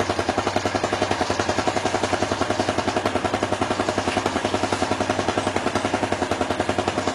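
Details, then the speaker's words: Yamaha Jupiter Z1 (type 2SU/1DY) idling after cleaning the fuel pump and replacing the fuel filter: quick, even putter around 214 beats a minute, steady loudness, no misses or knocks; a clean, healthy idle with no problems. "Jadi ini perputaran mesinnya sudah sangat mantul, nggak ada kendala sama sekali."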